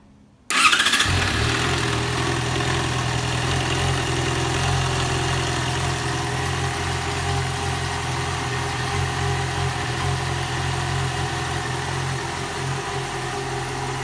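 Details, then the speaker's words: 2015 Yamaha XJ6 600cc motorcycle, 22,000 km, engine running with oil (10W-40); catches and settles into steady idle with faint metallic clatter; owner suspects cylinder head or connecting-rod bushing, says not valves, unconfirmed. "é um barulho é um barulho de ferro gente um barulho assim não é válvula não é uma coisa tão sujo ael é bucha de biela é um barulho de ferro sabe"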